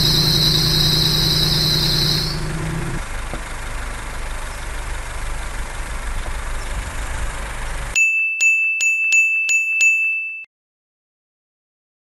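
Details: Idling car engine: sharp, steady high-pitched squeal that cuts out abruptly, a dry, slipping V-belt/serpentine belt; belt dressing spray applied to stop slipping and squeal.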